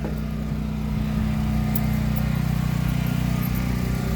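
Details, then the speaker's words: 2014 Keystone Springdale 320 fifth wheel trailer furnace switched on to heat: steady low droning hum, even and unwavering, with a faint rumble underneath, blowing hot air within seconds; normal furnace blower run. "you can feel it right here. It's blowing hot already. It only takes a second to feel it there."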